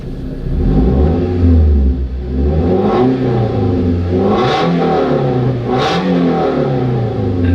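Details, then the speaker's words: Scion tC after muffler delete, recorded inside the cabin: loud droning rasp rises and falls with throttle blips up to about 5,000 rpm, raw and unmuffled; loud exhaust from muffler delete. "And how does it sound in the cabin? Let's take a listen. Oh yeah, it might be louder than I thought."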